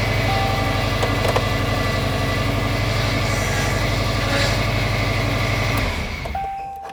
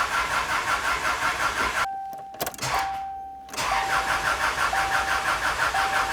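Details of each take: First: 24-year-old Subaru Outback after new timing tensioner fitted and fuel lines corrected: engine starts and settles into a steady, even idle with no misfire; power steering pump whines; engine running great. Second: About 2001 Subaru Outback non-runner after new oil, antifreeze and battery: starter spins engine evenly, pauses, cranks again without catching; crank no-start because the fuel lines were crossed, no fuel reaching engine.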